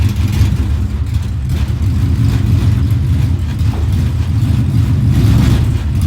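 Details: Ford Mustang Coyote V8 with Comp Cams Stage 2 camshafts and 10R80 transmission: choppy, lopey low rumble at idle rising with revs, aggressive cam lope, not a misfire.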